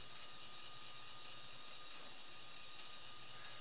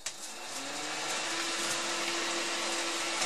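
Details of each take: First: Old bathroom ceiling fan: a steady airy whoosh with a thin constant ringing tone from its loose, corroded metal dust cover plate resonating. The ringing stops when the plate is held by hand. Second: Old bathroom ceiling fan after cleaning and lubrication: spins up to a steady hum and airy whoosh with no rattle or buzzing; runs quiet and even.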